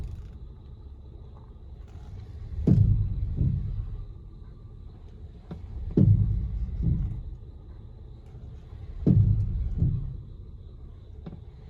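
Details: 2016 Honda Pilot: heavy, deep clunks repeat about every three seconds, each a sharp hit quickly followed by a second; cause unknown.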